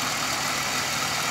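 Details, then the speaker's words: 2000 Pontiac Grand Prix GTP parts car, supercharged, 151 on the odometer: smooth, even idle with a steady hiss and no knocks or uneven beats; bottom end sounds healthy, unlike the owner's other GTP with rod knock. "I'm pretty sure the bottom end of the motor is done on my other car this one sounds perfect"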